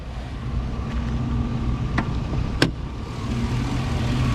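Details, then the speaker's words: 2004 Chevy Silverado 1500 after a new alternator, belt, alternator pulley and battery. Steady low idle with an even rumble and only a couple of faint ticks. Normal idle. "Clean little engine. It's an 04 clean engine."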